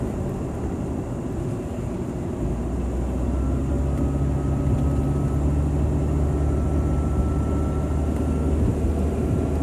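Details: 2001 Jeep Grand Cherokee WJ 4.0L driving at about 25-30 mph: steady engine rumble with a thin high whistle that grew from a wind-chime sound; owner suspects a bad water pump, unconfirmed.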